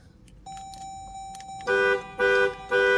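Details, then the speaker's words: Dodge Durango in for a no-start with a new battery that won't take a charge, even after about an hour on a charger: three firm, full, clear horn blasts at even spacing; a healthy horn. "good, healthy horn."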